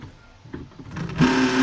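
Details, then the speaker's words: LG inverter top-load washer during spin: a loud, harsh buzzing hum starts the moment the drain pump activates, traced to a noisy drain pump motor. "entonces se activó la bomba e inmediatamente pues escuchamos el ruido que vamos a pagarla si vamos a desconectar la bomba"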